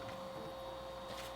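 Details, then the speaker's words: PS2 Fat disc drive after repair of a broken drive assembly, reading PlayStation 1 and 2 discs: a faint, steady spindle whine with a soft seeking rustle and no grinding or clicking; the drive spins and reads normally. "so you can hear it sounds normal cool and it is awesome so playstation 1 discs those are good"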